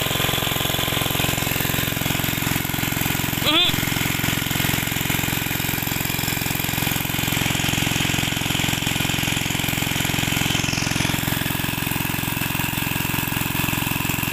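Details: Greaves MK12 petrol/kerosene water-pump engine, steady even drone at constant pitch with no knocks or misses; running healthy under load.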